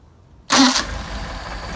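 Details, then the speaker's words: Engine on a test stand with freshly adjusted Solex carburetors, fully warmed up, hot start: a quick starter burst and it catches at once, settling straight into a steady, smooth idle; clean hot start. "How about that for a hot start?"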